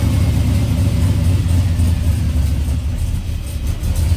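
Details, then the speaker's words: Turbo LS swap in a 1955 Buick, after wiring both fuel pumps through relays triggered by the PCM: it starts and the deep V8 rumble runs steady and even with no stumble. The fuel system works. "sweet it works all right that is it for the fuel system it works and if you listen you can hear now with the PCM control in the pumps should just turn on for 3 seconds when the keys on and off perfect"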